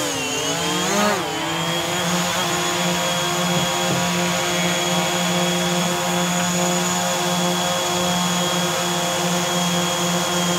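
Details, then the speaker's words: DJI Mavic Air on Master Airscrew stealth propellers in a steady hover: even propeller drone at constant pitch with no wobble, about the same volume as a Mavic Pro with low-noise propellers. "Okay, so the Mavic Air with the Master Airscrew on, about the same volume as the Mavic Pro with the low-noise propellers on."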